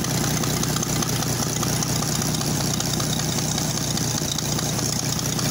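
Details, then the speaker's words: Oliver 880 tractor, last run 1999 and stored 23 years in a barn, running on choke after pushrod trouble: rough idle with sharp puffing tick on each firing pulse from a leaking exhaust manifold; dies when choke is pushed in. "you can hear that terrible exhaust manifold right there"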